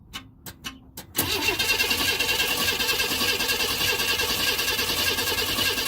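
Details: 1992 Chevrolet Camaro RS V6, crank no start: after a few clicks the starter spins the engine at an even, brisk beat for five seconds but it never catches. It has a new fuel pump, filter, plugs, cap, rotor and injectors; fuel, spark and basic sensors were checked.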